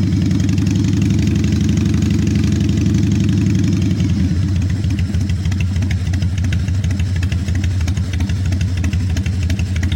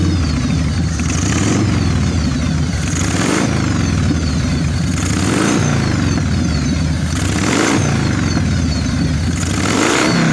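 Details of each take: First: 1996 Harley-Davidson FXSTSB 1340 Evolution with Mikuni HSR 42 mm carburetor, just started but still stumbling: V-twin lopes unevenly at idle, beat missing every few seconds; sputtering idle before carb mixture setting. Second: 1996 Harley-Davidson FXSTSB 1340 Evolution with Mikuni HSR 42 mm carburettor, after cleaning and setting idle mixture 1.5 turns and accelerator pump: lumpy V-twin idle, repeated revs pulling cleanly and settling back; mixture sounds right.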